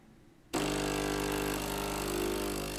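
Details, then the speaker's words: Philips LatteGo espresso machine on diagnostic test while brewing a cappuccino. The brewing pump starts cleanly and settles into a steady, even hum with no rattles or surging; everything is tight, spout needs cleaning. Normal operation. "it works, you can hear that everything is tight, and the spout needs to be cleaned."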